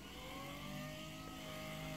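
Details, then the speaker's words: Power-feed motor driving through an electromagnetic clutch, on test after control panel assembly: steady whir that wavers and drifts slightly, sounding uneven; owner thinks it needs a new motor. "obviously the motor is not sounding the best i don't know if you can hear that"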